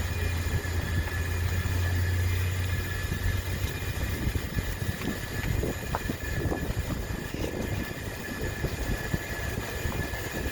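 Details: 2013 Range Rover Evoque with 77k miles and a recently replaced turbo and manifold. A rough grinding noise comes and goes on the right side over a low rumble, with a faint high whistle.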